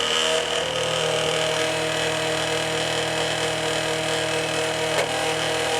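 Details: Late-1980s Quasar VH5471-K VCR (Panasonic mechanism) running play: constant buzzing hum with fast rumble, capstan motor overspeeding without speed control, motor smelling heated; cause unknown.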